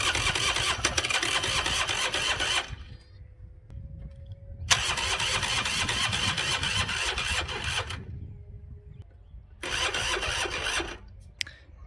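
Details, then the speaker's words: Honda NSR 125 test start after clutch work with the exhaust refitted: three sluggish cranking bursts turn the engine over but it never catches, pointing to a low battery that was then charged. "It sound like something doesn't have enough power (again)."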